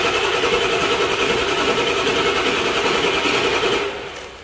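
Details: 1999 Ford F-250 7.3L Power Stroke diesel, codes P1211, P1212, P0340: starter cranks steadily about three turns a second but never fires; injection control pressure not building though PCM grounds the IPR, IPR to be replaced.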